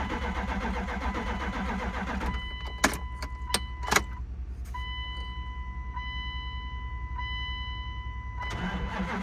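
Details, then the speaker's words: 1998 Dodge Durango, sat over 10 years, on jumper cables after the fuel pump was heard running: starter cranks in bursts with clicks and a steady chime, engine won't catch; owner wonders if injectors are firing. "Wonder if injectors are firing."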